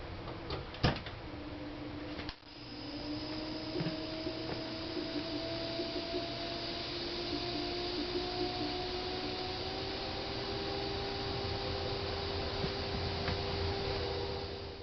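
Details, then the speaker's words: GE Profile PFS22MISBWW refrigerator (bought 2007) with the original control board, mic placed near the compressor: a faint rising hum with no deep drone and no condenser fan. The compressor tested free of shorts but seems to struggle to start. "with the old board in there the condenser fan does not turn on although it seems like the compressor is trying to do something"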